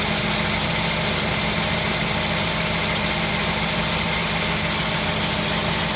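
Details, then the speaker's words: 1952 Ford F1 flathead, cold start after sitting 7 days, choke pushed back in: steady, even idle with a constant hum and no misses or knocks; normal idle. "But that's how it's running. I'm going to let it run a little bit more for you, show you the other side. Hear that nice flathead sound is what we're listening to."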